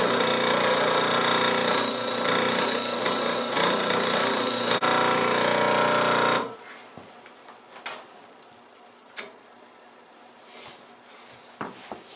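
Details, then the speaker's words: Old burnt-out Hercules split-phase motor (about 245 W) running at no load: steady hum with a dry, rattly ticking underneath, then winding down; worn bearings with play. "I just wanted to show you how these old worn out bearing sound with no load on it"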